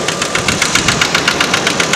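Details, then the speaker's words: Red truck idling, owner may need to tow it for repair; sharp evenly spaced metallic knocks, roughly eight per second, loud over idle — internal engine knock, cause not identified; owner wants the engine fixed. "this is the reason why i got to get this car fixed"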